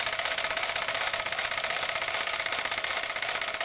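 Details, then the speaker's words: Falk 450 overtype small steam engine, first run with feedwater pumping: steady rapid chuffing around two and a half beats a second with bright hiss, picking back up after pumping; running smoothly. "now you can hear it picking back up now"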